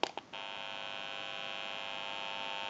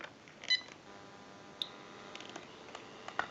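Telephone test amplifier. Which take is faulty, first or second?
first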